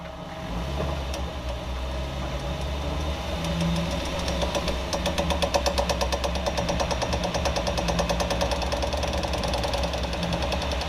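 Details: 2014 Jeep Wrangler JK running with a ticking knock coming in after a few seconds, roughly 170 per minute but uneven; rear driveshaft suspected, source unconfirmed.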